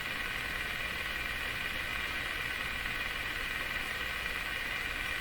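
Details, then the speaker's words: Canadian Westinghouse Model 684 radio on a shortwave band, after the temporary IF bypass circuit was cleaned up, volume full, ground reconnected: only a flat steady hiss with no stations or whistles. The local oscillator appears dead again, so nothing tunes. "Would appear to be not tuning a thing. Would appear to not have a local oscillator again."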